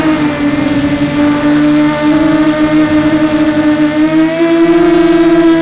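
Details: Sunnysky 2204 motor on a 250 mini FPV quad in flight: high motor tones shift with throttle over a rough, gritty rasp from a shelled-out bearing, which went unnoticed until landing.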